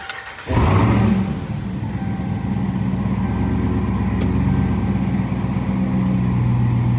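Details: Dodge Ram 1500 with Hellcat 6.2 L supercharged V8 swap, restarted after fitting a cap to cure a belt squeal: catches on the first crank and settles into a steady, even idle with no squeal at start; normal start and idle, though squealing later returns.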